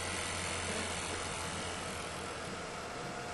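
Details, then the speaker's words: 10-foot-diameter roof-mounted home wind turbine in gusts of about 10–25 mph, producing about 5 A, with blades fitted that morning and not yet balanced: low rhythmic hum about four times a second through wind hiss; rotor imbalance vibration. "you can hear the vibration because the blades are out of"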